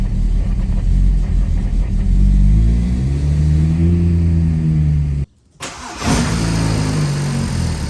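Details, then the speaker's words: BMW 335i N54 single turbo, cold start with E85 in the tank on a tune made for E30, no port injection or B58 coils: it surges and hunts, briefly dies, then catches again; fuel doesn't match the tune. "it's been tuned on E30 um it didn't have poor injection at the time it didn't have b58 coils or anything so this is the start and how it basically a cold start and how it starts when you have E85 in the tank"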